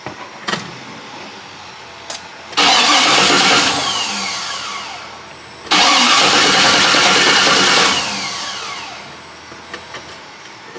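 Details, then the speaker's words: 1973 Impala 406 small-block Chevy V8, first start after collapsed lifter and guide plate repair; repeated long cranking, briefly catching and stumbling, raw fuel smell at tailpipe. Hard start, ignition timing suspected off. "There we go, got a little something, but sound like my time is off a little bit because that gas coming out the, that gas smell coming out the tailpipe is smell pretty raw."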